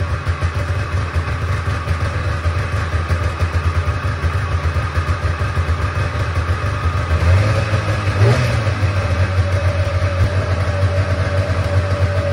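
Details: Old Polaris Trans Sport two-up long-track two-stroke snowmobile, unrun 10 years, after fuel system work: even fast burble holding steady at idle, no misses; thermometer readings ~203 and ~224 show both cylinders firing, but too loud.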